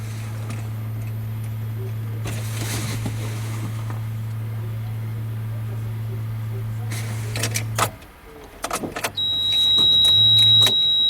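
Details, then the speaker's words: UAZ Patriot heater circulation pump, recently replaced with a new auxiliary pump after 7 years of loud humming, wired to 12 V and run dry before coolant is added: still a loud, steady low hum with handling clicks. "Блин, он все равно громкий, падла. Почему-то это на 12 вольт подключил я. Правда, на холостую, сейчас без жидкости."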